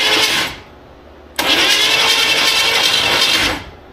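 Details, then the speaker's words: 1957 Chevy wagon, believed 327 V8, sat for years and would not turn by hand; on battery and starter, a brief crank burst, pause, then longer steady even crank with no binding thud; motor turns freely, not seized. "why couldn't I turn that over by hand like I had broken bars everything going on here"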